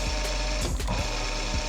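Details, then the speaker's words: Used older round-body sewing machine run with the presser foot raised during a second-hand purchase check. Soft, even patter with no dragging or knocking in the rotation. Smooth, healthy, normal running. "lu dari suaranya ini udah pokoknya halus nggak seret enggak Gem lotrek atau apalah yang bisa bikin nggak nyaman buat menjahit itu di rotasinya sini"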